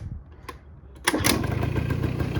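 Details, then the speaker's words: 1984 Honda Aero 50, a 50cc two-stroke scooter with a rebuilt carb, on restart. Catches on the first kick and settles into an even, steady idle with no hunting; air mixture screw about one and a half turns out, idle set well. "wow look at that first kick so i have uh the idle set pretty good i think um the air mixture screws like one and a half out that's about perfect and uh this thing seems to be running good"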